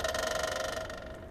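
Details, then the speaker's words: GMC motorhome generator, fuel pump primed via jumper wire from coil to starter main wire: rapid ticking buzz that starts loud then eases quieter as lines fill; normal priming. "all right so you can hear it started loud and then it got a little quieter i can still hear the fuel pump running right now"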